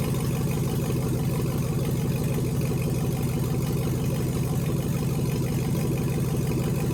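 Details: LS V8 swapped into a BMW E46, first start in chassis with newly built cooling system, warming up while coolant temp is monitored via OBD2 (reaching about 178 before fan switched on): deep steady burble at low even idle, no knocks or misses; healthy.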